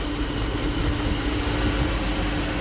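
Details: 2008 GMC Yukon 5.3 V8 idling smoothly after repair: steady, even low rumble and faint hum with no stumbles or knocks. It earlier had misfire codes and rough running, fixed after a burnt wire in the 20 A injector fuse circuit was found and the fuse replaced.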